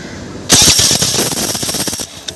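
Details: Honda Activa scooter after curing a self-start noise: starter spins briefly and engine fires cleanly without the earlier chattering or grinding from the starter gear.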